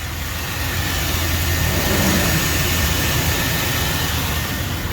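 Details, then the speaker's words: Jeep after repair of a front-of-engine growling noise that had been wrongly blamed on the alternator: smooth, steady idle with an even low hum and no whine, squeal or rattle; noise gone, running normally. "All right. I'm done, guys. The noise is gone."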